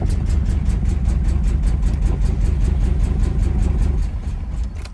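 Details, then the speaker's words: Porsche 924 that had been sitting, on a start attempt: low, uneven chug of about two and a half beats a second, lumpy and misfiring; plugs were checked afterwards and one was found very wet, cause unconfirmed. "all right we're going to have to check those plugs so since she runs really rough I am going to check um"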